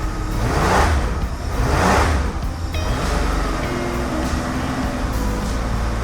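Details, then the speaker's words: 1977 Porsche 911S Targa engine, which had been pumping blue smoke after a wiring no-start fix. Two clean rev blips rise and fall smoothly, then it runs steadily. Smooth revving but still burning oil; a stuck ring is suspected. "It's still burning oil, but that could just be a stuck ring or something. Sounds good, though."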